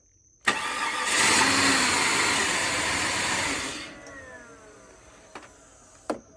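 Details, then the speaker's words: Flood-damaged 2004 Cadillac DTS convertible after repairs, including a cleaned MAF. It cranks, catches, runs evenly about three seconds, then dies on its own, the same each time. Anti-theft behaviour is suspected, not confirmed. "It starts, runs for a few seconds, same amount of time, shuts off. That's anti-theft behavior."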